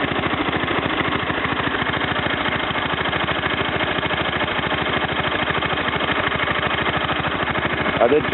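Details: Kohler K241 single-cylinder in a Wheel Horse C-101, warming up after a new head gasket, spark plug, points, coil and condenser, some rewiring and a carburetor tune: a steady, even putt-putt at about three beats per second with no misses or knocks, a healthy idle.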